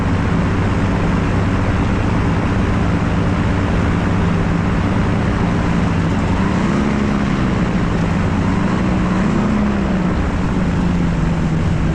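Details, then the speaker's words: Light experimental aircraft engine landing with power at a short grass strip, shortly before a later engine failure on takeoff; steady drone through wind, pitch rising briefly as throttle opens on short final; engine pulling strongly, normal. "You can hear the engine developing RPMs, and on short final, you can even hear him rev it up a little bit."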